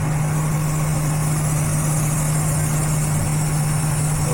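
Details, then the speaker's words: Engine idling with short-term fuel trims both at 30% while MAF reads fine: steady low idle hum with a constant airy hiss under the hood; vacuum leak, later found under a cover. "It's alright. I do kind of hear a vacuum leak or something."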